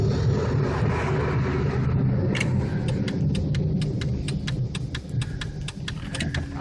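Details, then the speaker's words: 1999 Chevrolet Malibu driven at night at about 35 mph: heavy, deep droning rumble from badly worn wheel bearings needing immediate replacement; brakes recently replaced. "so dude was saying that was the worst bearings ever heard he couldn't believe it check these out this needs fixed immediately"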